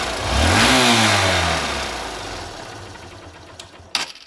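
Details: Vehicle after its spark plug was cleaned of carbon and refitted: starts quickly, revs up smoothly with an even exhaust note and settles without popping or misfiring, a clean healthy start.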